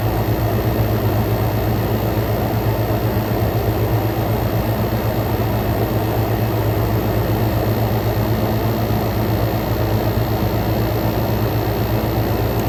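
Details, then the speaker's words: Frigidaire Gallery GHWQ103WC1 10,000 BTU inverter air conditioner, compressor at full power, back to ambient intake, 44° out: steady even low hum and constant fan rush, no knocks or rattles; fan smooth, suction line sweaty; normal compressor running at full load. "y compressor is at full power got now we're back to ambient going in we got 40 44 coming out this thing is this thing is kicking butt today"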